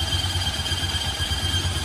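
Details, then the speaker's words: Luvias 125 carbureted scooter: rough pulsing low rumble with a steady high whine, worn CVT clutch grinding like a rice mill after long use; fixed with new clutch and resurfaced, drilled clutch bell, then quiet. "Rồi cái nồi nó kêu"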